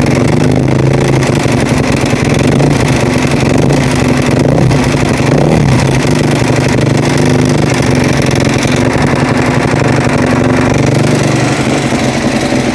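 Loud steady running with a rough, uneven drone over the low beat; something sounds wrong, though the exact fault can't be pinned down.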